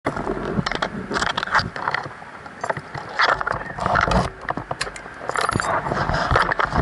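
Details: 2012 Honda CBR1000RR Fireblade, bought new, 4,100 miles, with a dead Yuasa battery: rapid, irregular clattering and ratcheting with no engine firing; the starter chatters on the flat battery and the bike won't start.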